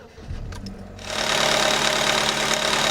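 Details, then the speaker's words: 2007 Chevy Cobalt running on 10 lb of paraffin candle wax instead of oil, restarted after sitting about 20 minutes: catches to a fast idle with a light, even ticking that fades; maybe slight chain noise. "Maybe a little bit of chain noise right now. And I think it's coming out of it."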